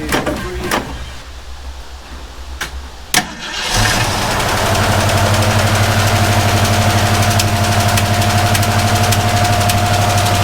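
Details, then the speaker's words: Vintage Ford Mustang started after a rebuild on its shakedown: it cranks, catches and settles to an uneven idle with a light regular tick. The ticking was not the suspected PCV valve; it came from the opposite side; mismatched spark plug wire also suspected. "it feels like there's a mismatched uh SP CL Wire yeah something the PCV valve ticking problem wasn't actually the issue it turned out that it was something else"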